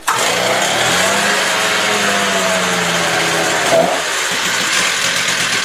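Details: Stihl TS350 cut-off saw, first start after engine rebuild, choke off as it's warm indoors; fires straight away and holds a steady, buzzy high-pitched idle without stumbling, running cleanly.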